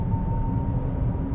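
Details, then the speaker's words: 2025 Toyota Wigo G CVT cruising above about 60 kph: thin steady whine over road rumble as the CVT drone kicks in; normal CVT whine at speed. "But again, anything a bit higher and you can hear the CBD kick in."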